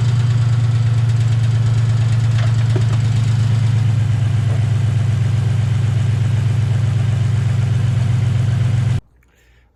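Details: 2008 Ford Mustang GT idle misfire on passenger-side bank after plugs and injectors replaced; deep idle pulsing unevenly about four beats a second, caused by air sucked through PCV tube and cracked cold air intake.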